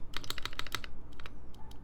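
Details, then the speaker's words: ai03 Vector prototype keyboard, no plate, Durock/Mekanisk Ultramarine v2 linears, screw-in Wuque stabilizers: quick clacky typing with a light tick on spacebar presses despite lube; suspected bad stabilizer, to be replaced. "because I definitely hear the ticking here too and no matter how much Loop you add sometimes it just doesn't do it"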